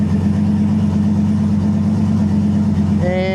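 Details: Freshly rebuilt 5.3 LS V8 on E85 in a Nissan 240SX S14, first start in a cold shop, about 65 psi oil pressure, shifted through reverse and first: steady even idle without stumble or knock, faint rising tone near end; healthy.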